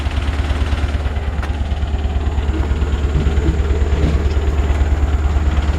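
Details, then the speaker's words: 1951 Ford F1 pickup, converted to 12 volt, at idle: steady low throb about three beats a second with faint buzzing rattle underneath; vibration from under the truck, source unclear, belt possibly a touch loose, no smoke, otherwise runs well. "There's something vibrating underneath the truck. You know, it's an old truck, so let's see."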